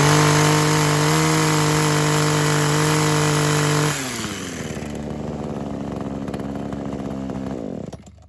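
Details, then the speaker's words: Kawasaki KHT600D hedge trimmer two-stroke after new fuel lines, primer bulb, fuel cap and tune-up: steady high buzzing run drops to an even idle around four seconds, then cuts off; sounds healthy and clean. "So started right up, worked pretty good."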